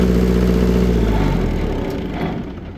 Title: Taylor / Perkins bad cylinder tons of oil blow by with popping sound